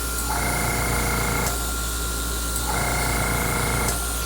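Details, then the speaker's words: Airbrush spitting and sputtering in two rough hissing bursts as craft paint clogs the nozzle; it needs cleaning out, and the next pass is sprayed on low pressure. "And you can hear it spitting and sputtering if it's not cleaned out good enough."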